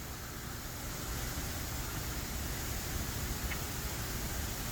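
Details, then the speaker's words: High-tension power lines in very moist air with no active rain: steady high airy hiss over low wind rumble that sounds like falling water, corona discharge coming off the wires. "you can really hear the power in this the air with all the rain and moisture it sounds like rain but it's actually just the power coming off the wires"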